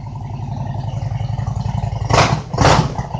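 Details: 2000 Harley-Davidson Road King Classic cold start at about 28°F: it fires right up into an uneven loping potato-potato idle, with two quick throttle blips that rise and settle cleanly; healthy twin.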